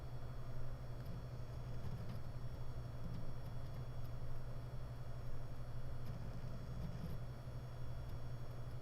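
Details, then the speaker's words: WD Red 12TB NAS hard drive, new: steady low hum with faint occasional ticks as heads move back to park position, audible from a distance, strong vibration felt when touching the drive; owner's drives all show this noise. "I can tell the noise is from the head movement whenever the hairs back to the base it can be a big takes and I can hear that from a distance I also can feel the big vibration when I touch to dry"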